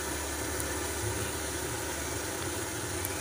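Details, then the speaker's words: PS2 Slim in BIOS mode: audio present but crackling, steady rough hiss with low rumbling hum instead of clean sound; cable or internal fault suspected, not confirmed. "Hai ya Chand suaranya agak berisik ya suaranya ada tapi agak-agak berisik"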